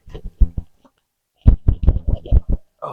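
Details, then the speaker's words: Dull, uneven knocks as the lifted wheel of a Jeep Grand Cherokee WJ is rocked by hand. There is heavy play in a cheap wheel bearing with under 1,000 miles on it, which is being replaced. "Can you hear how much play is in that bearing? This bearing doesn't have 1,000 miles on it yet."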